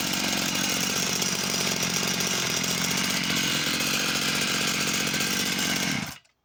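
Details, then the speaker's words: Husqvarna chainsaw of unknown model, restarted with the side cover off: even, buzzy two-stroke tick-over holding a steady pitch, then cutting out cleanly. It idles fine, though no bar oil is coming out. "seems to tick over nice and steady"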